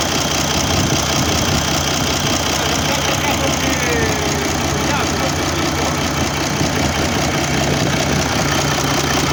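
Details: Mercedes OM401 diesel at idle: a dull, loosely regular knock about two to three a second under the engine clatter; cause still being searched for.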